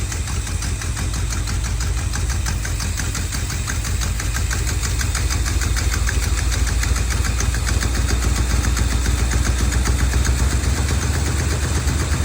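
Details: 1970 Dodge D200 V8 truck, vacuum hoses plugged with screws: loud, rough idle drifting up and down; surging, possibly lean after popping through the carburetor, cause unconfirmed.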